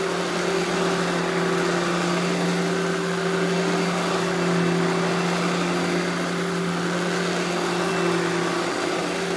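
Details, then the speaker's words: Eureka Boss Smart Vac 4870 type GZ upright vacuum after belt replacement, switched on: steady even motor hum at one pitch, no slapping or squeal; runs smooth and healthy. "now I'm gonna go ahead and turn this thing on demo it for you guys and you can hear how smooth it runs"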